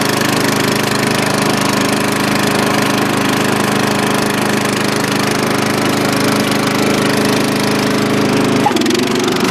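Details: Dynamark riding lawn mower after carburetor cleaning, driven outside to test the long-unused deck: steady, even engine drone with the deck spinning, no knocks or misses, constant speed; runs healthy.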